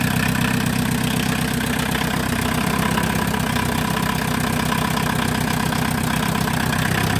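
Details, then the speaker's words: VW Mk2 Golf 1.6 diesel at first start after engine refit, cold and run without choke: harsh, rattly diesel clatter at a fast idle of about four beats per second. The owner blames a missing tube and will replace it. "I do need to get a new tube that goes down there. It is a bit noisy without it, so I will get a new one."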